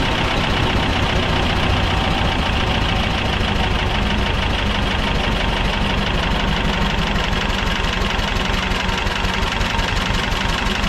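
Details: Belarus 250AS diesel tractor, about 1985, after sitting for years, first-stage filter refilled and lines bled: steady, lumpy idle that never picks up speed; won't rev on its own, fuel starvation.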